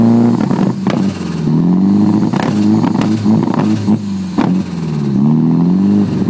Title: Ross 240sx rough idle